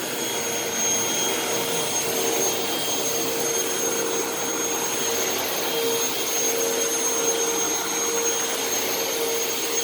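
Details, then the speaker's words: Upright vacuum running with brush roll engaged: steady motor roar with a thin faint tone from the brush roll; brush making a funny noise, owner suspects it needs a new belt. "so so actually the brush is making kind of a funny noise so i actually might have to put a new belt on this now that i think about it"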